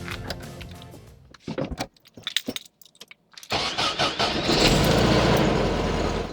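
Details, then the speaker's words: Air-cooled VW after replacing cracked intake manifold boots to cure stalling at idle. After a few quiet seconds it starts and settles into a smooth, steady idle at about 950 rpm with no stumble or hunting. "There you have it. We got a nice idle. It's nice and smooth. It's at about 950 RPM, which is a tick higher than I normally go for, but this engine seems to really like it."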